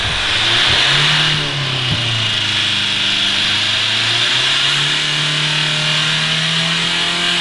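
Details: Diesel Mitsubishi Carisma accidentally overfilled with several litres of excess engine oil: engine races up hard and holds a high, screaming rev with no throttle input, feeding on the oil; a diesel runaway.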